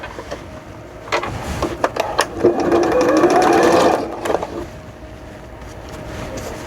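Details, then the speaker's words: Sewing machine stitching a pencil case: fast, rattly clatter at about four beats a second, louder than usual; owner unsure why and reseats the bobbin case, wonders if the machine sits crooked; unusually loud running. "쭉 오늘따라 이렇게 시끄럽지 왜지? 뭐가 이상한가? 제봉사 원래 이렇게 안 시끄러운데."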